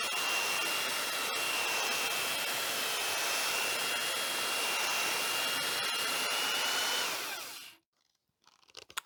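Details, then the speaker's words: Used Makita belt sander under load sanding a board with fairly coarse, well-worn paper: steady high-pitched motor whine with sanding hiss at even speed, then switch-off and wind-down; works fine, switch sticky. "it's um done a beautiful job on that board and it's it's fairly coarse paper uh it was probably well worn but it still does the job yeah"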